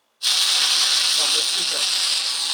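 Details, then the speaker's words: Yamaha Motif ES6 keyboard after boot-up: sudden steady, loud high-pitched hiss from silence, constant with no rhythm, on the audio output; bypassing the system insertion effects silences it as a temporary fix, and a chip-level repair is planned. "the problem with this keyboard is when i switch it on you see it goes through the boot up process and we hear a very big loud noise"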